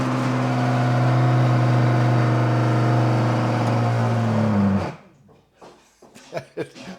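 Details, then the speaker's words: Garbage disposal about 15 years old, being replaced; loud droning hum with rough grind for about five seconds, then winds down: loud grinding noise, cause unclear. "Maybe you have a uh garbage disposal that sounds a little bit like this."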